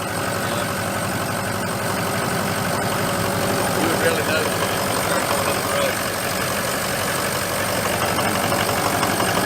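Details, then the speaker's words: 2004 Ford F-350 6.0 Powerstroke, about 100,000 miles, EGR delete, cold start at about 50°F before an oil change: cold diesel idle with a light, irregular knock over the clatter; injector stiction knock. "hear it knock a little bit now I imagine if it was 20 degrees out of rock'n'roll"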